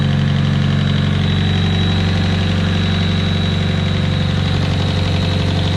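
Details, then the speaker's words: Nissan S15 cold idle after replacing the head-to-block vent hose: steady idle with injector ticking and a faint thin chirpy whistle, source unclear, possibly intake manifold; the squirrely noise goes away when warm and a lifter proved the earlier head noise. "there's still that weird squirrely noise i don't know where it's coming from but when the engine's warmed up it goes away"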